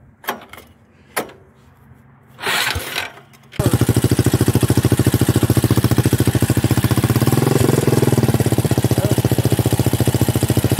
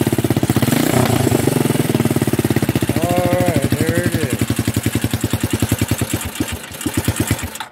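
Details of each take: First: Buggy build engine, long unused, after first run: a few attempts then catches into a fast, choppy idle that wavers and stumbles; rough running, owner suspects low oil and long disuse, not confirmed. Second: Buggy build, engine first run after hooking up fuel tank: quick even single-cylinder thumping at steady fast idle, no misses or knocks, then dies cleanly at shutoff; healthy runner.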